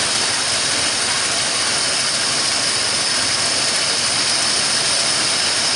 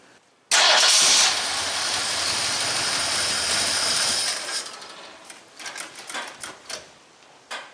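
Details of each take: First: 1974 Ford F100 rebuilt engine at idle, idle raised slightly. A steady sharp hiss sits over a quiet, even idle; owner hears a vacuum leak and suspects the carburetor, not confirmed. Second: 1974 Ford F100 V8 after an engine rebuild with new pistons and rod bolts. It cranks, catches quickly and settles into a steady idle, cuts out briefly, then restarts and runs smoothly: a healthy start.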